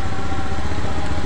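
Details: Honda Beat eSP scooter, ECU found fine, idling: steady low putt-putt with even firing and no misses, knocks or rattles; normal idle.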